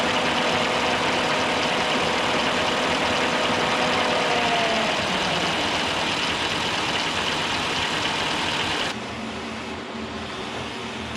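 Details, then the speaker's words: K&T milling machine on first run after oil system flush, stepping up through spindle speeds: steady, even gear hum with a smooth whir that shifts slightly with speed; spindle runs clean with no knocks. "815. There's 1,000 RPM. It sounds good. I'm actually really happy about that."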